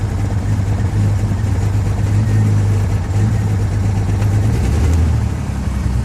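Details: 2000 Jeep XJ Cherokee petrol engine idling rough and unevenly, one cylinder missing, with black smoke; temperature sensor reading faulty. Spark plugs already replaced, coils suspected next; cause unconfirmed. Misfire at idle.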